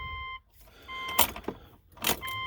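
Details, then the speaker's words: 2006 Subaru B9 Tribeca after engine installation: key cycled on and off two or three times to prime the fuel pump and check for leaks before starting; steady high whine cutting out and returning with clicks, normal priming. "now most fuel pumps will only stay on about two or three seconds when you turn the key off and on so i'm just gonna do this like i said two or three times"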